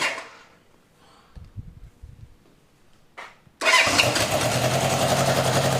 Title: Cb750 first start up after rebuild